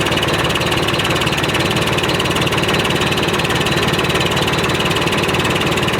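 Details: 1991 Freightliner FLD120 with Series 60 Detroit diesel, unstarted since last July, started with just fresh batteries: heavy diesel clatter at about two pulses a second with a slightly uneven beat; bad injector, so the run was kept short.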